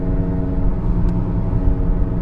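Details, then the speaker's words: 2015 Kia Sorento 2.4 on a test drive: steady low growl from a front wheel bearing, seemingly front left, that changes when the wheel is jerked and loaded the other way; only slight roughness felt through the wheel. "yeah that's a wheel bearing noise you hear it when we jerk the let's wheel if we can get it to go the other way"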